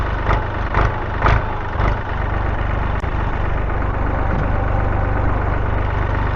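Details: Massey Ferguson 231 diesel tractor after repairs, oil, coolant, fuel and hydraulic oil levels good, before mowing: deep, steady idle with a regular low beat after a few settling pulses, no knocking or rattle; engine sounds healthy.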